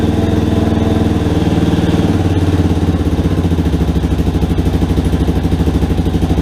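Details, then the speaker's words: Rebuilt Yamaha Warrior quad, first start after engine reinstall with a cleaned carburetor and idle screw two turns in: loud, even single-cylinder thumping at a steady idle, no ticking or knocking. Sounds healthy, though idle still needs adjusting. "so holy crap guys she's running it sounds pretty good oh i gotta mess with that idol a little bit more but man guys this sounds really good"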